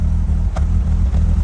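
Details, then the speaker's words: Ford Focus ST170 bought unseen, nearly out of fuel and backfiring earlier, at low revs: an uneven idle beat with a couple of dropped firing pulses; it is missing, and the crank was ruled out as the cause. "missing a little bit we're going to we're going to service it but yeah H interesting maybe that's why it was parked"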